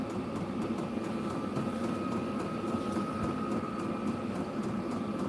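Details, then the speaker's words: Diesel-powered heater in a dog kennel, powered by a 12 V yard-tractor battery on a trickle charger: steady, even, hard-blowing blower rush with a faint constant tone, no surging or knocking, no diesel smell. Running normally. "that baby blowing pretty hard"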